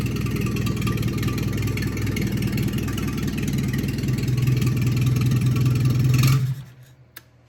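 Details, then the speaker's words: 1974 Dodge Colt engine, first start after three years, freshly rebuilt, carburetor untuned: lumpy uneven idle swelling with throttle then abruptly dying; stalls on throttle, carburetor needs adjusting. "all right so obviously it's going to need some tuning I got to adjust a carburetor do all that that's why I died when I tried to give it some throttle but freaking started right up man"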